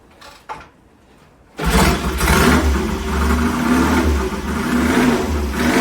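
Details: 1970 T100C vintage British motorcycle, fuel on, starts on one kick and revs smoothly with a steady beat, no misfires or rattles; engine runs fine, accelerates and brakes well, but won't shift past second gear.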